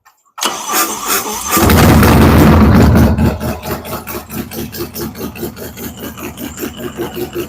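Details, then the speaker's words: Fresh cam and big-bore V-twin motorcycle build on a break-in run-up: cranks and catches, revs briefly, then settles to a steady loping idle of about three even pulses a second; healthy engine. "woo sounds like a muster man that is the last 45 second run we got to do"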